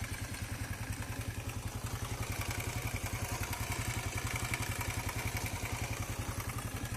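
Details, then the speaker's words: Corven Energy 110 motorcycle engine at idle: fast, even clatter about three to four knocks a second, apparently timing chain plus an extra knock on one side; cause not yet confirmed before teardown. "Ahí se escucha cadena y se escucha un golpeteo extra de este lado, así que ahora vamos a revisar."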